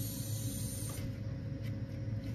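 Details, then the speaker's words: 6.7 Powerstroke after installing S&S CP4 bypass kit and CCV reroute, key-on engine off priming: steady soft hiss from fuel system, quieter on repeat cycles; owner suspects air being worked out, unconfirmed. "let me cycle the key again it's like that's a noise I don't recognize ever hearing but it ain't as loud this time that's really weird I hope I don't have nothing wrong I'm not sure if you guys hear that hissing sound"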